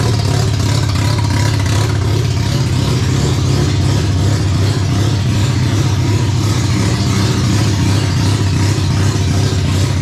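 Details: Mazda 12A rotary from a barn-find RX7 that sat for years, first start, with the electric fuel pump on and a suspected flooding needle and seat: smooth, dense rotary buzz revving freely and evenly with no knocks or misses.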